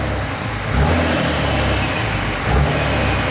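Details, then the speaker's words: 2005 common-rail Cummins diesel in a 2008 Ford F-350 dually, heard from inside the cab, oil still dripping: deep steady rumble with a couple of smooth rev swells, no smoke; engine sounds healthy and even. "We got no smoke. I haven't sat in here with this thing running yet."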